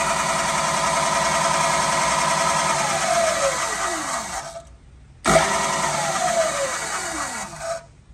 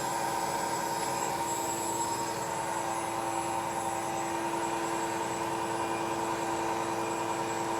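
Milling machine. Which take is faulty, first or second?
first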